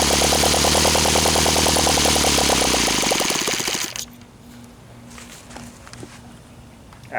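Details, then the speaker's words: OS FT 120 II glow engine on first run after rebuild, Omega 10% fuel, OS F plugs, Master Airscrew 16x8 prop, warm day; high even buzz for about four seconds, then dies as fuel runs out; clean, normal running. "as you can see it runs in it runs damn nice sounds like a jewel runs like a champ it's a freakin OS what do you expect"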